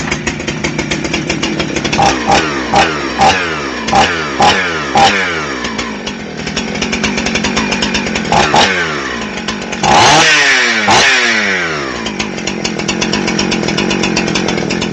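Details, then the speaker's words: Husqvarna 266XP chainsaw started for tuning after chain sharpening and bar service: catches and revs in short bursts falling back to a buzzy idle, then keeps running on its own; started right up, oiler pumping well, runs fine. "it started right up"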